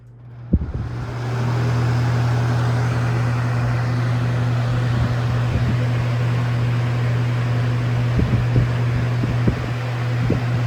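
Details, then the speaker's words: Lasko Air Flex box fan with full-sized Macmillan motor and Weather Shield blades: strong steady low hum under soft air rush, a few light knocks at spin-up; normal running, motor known for humming. "This fan just likes to bolt backwards on high speed. It's probably gonna vibrate a lot too, because this motor makes a lot of vibrations and humming sounds."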